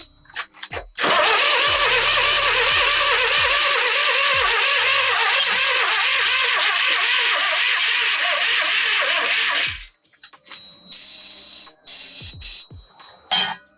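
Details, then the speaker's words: 1998 Dennis Dart bus after engine rebuild, fuel on, easy-start sprayed in: starter cranks at a steady even rhythm for about nine seconds with no pop or bang; cranks but won't fire, cause unknown, batteries then died. "Doesn't run. Right, guys. So, well, that's a deflating part of the day, isn't it? We didn't even get a sound of a pop or a bang from it as it was trying to fire into life."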